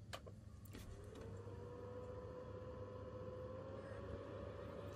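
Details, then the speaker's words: Sony PlayStation 2 cooling fan: the fan whine spins up, its pitch creeping higher before holding steady and loud over a low hum. A worn, dirty fan. "if you've got a 50,000 series apparently that fan seen better days it does need a clean which I'll do first"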